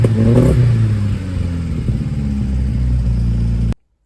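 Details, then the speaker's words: Triumph Spitfire after mixture adjustment, revved: uneven, stuttering note that breaks up and pops under throttle, misfiring as revs rise; not fully fixed, condenser suspected of playing a role. "There's something going on in there that's causing it to not run properly, but at least it's working now."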